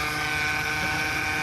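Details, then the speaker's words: 2008 Mercedes C300 running, near power steering reservoir and pump: steady high whine with faint fast buzz and ticking/vibrating underneath; owner suspects power steering pump (possibly rack), plans pump replacement, unconfirmed. "It's causing that vibrating, whiny noise."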